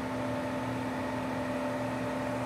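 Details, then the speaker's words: Ford Mach-E GT after DC fast charging, in turtle mode with a hot battery warning, car restarted: steady, even electric hum with a few fixed tones and felt through the floor, as the battery cooling pumps and fans run normally. "I hear that now we hear the pumps and stuff oh my goodness I feel it I feel the floor"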